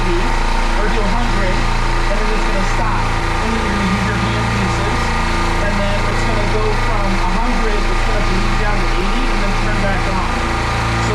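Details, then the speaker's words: Midmark Power Air dental compressor after the pressure-switch leak fix, building pressure from zero with a steady, even drone and no hiss or knock. It cuts out at 100. "so what happens is when you turn it on first thing it's going to go from uh it's going to go from zero to it's going to go to 80"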